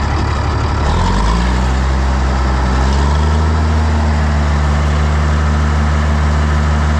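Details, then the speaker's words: 1965 Minneapolis Moline G707 with 504 six-cylinder diesel, parked 13 years: catches after a second and settles into a steady, deep, even idle with a loud unmuffled exhaust bark; fired right up. "Might need a muffler. But it fired right up."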